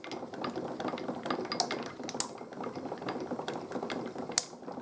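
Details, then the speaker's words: NZ-2 automatic coil winder repaired after shipping damage, bobbin spindle drive gears removed to cut noise, handle wound by hand: light, uneven pawl clicks with two sharper snaps as the trip mechanism works normally. "So I've just pulled the two gears that drive the bobbin spindle. So now it's much quieter, and if I wind the handle, you can see the trip mechanism."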